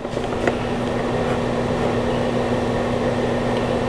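A smooth, steady fan hum with a constant low tone and no ticking or scraping, so the blower is running normally.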